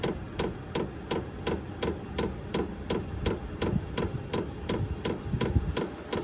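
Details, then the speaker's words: HCalory diesel heater (compact tool box 2), first start, still cold and blowing air: sharp even ticks about three per second over a quiet hum; normal fuel pump ticking while warming up. "it's blowing air but it's still cold but yeah you can hear that pump thick thick but I guess you get used to that sound it's not that bad"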